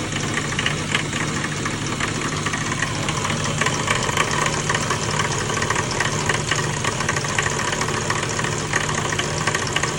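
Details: BMW E36 M3 straight-six at idle: light, uneven clanking tapping about three knocks a second through a steady run; source of the knock not identified.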